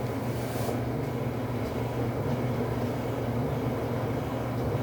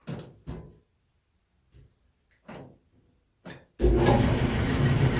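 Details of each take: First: Samsung dryer after replacing flat-spotted drum support rollers and shafts (DC97-16782A) that caused loud thumping: drum turns with a steady, even low rumble, no thumping; new rollers may run slightly louder until their shaft coating wears in. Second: Samsung dryer starts up into a loud, heavy rumble with an uneven thump; cause is flat spots on the drum support rollers, fixed by replacing roller and shaft together (part DC97-16782A).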